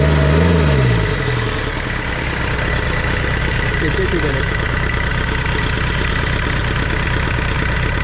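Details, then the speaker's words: Tata Sierra/Estate indirect-injection turbo diesel, cold-started with glow plugs after body restoration: fires up and settles into a steady idle of about four firing beats a second, with no misfire or knock. "ഏകദേശം അങ്ങനെ finally നമ്മൾ വണ്ടി start ചെയ്തു."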